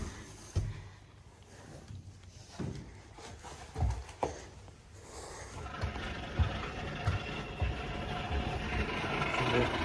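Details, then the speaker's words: Fujitsu ducted air conditioner with no heating, indoor fan in the roof space: uneven thumping gives way to a loud, rough, labouring rushing roar. The unit has been running without a filter, so a blocked coil and an overworked, failing fan motor are suspected. Not yet confirmed. "sounds so bad so so bad what all things happened is they don't have a filter they're running without a filter I dare say that the coil is absolutely blocked fan motor's running over time and then something's gone wrong with it"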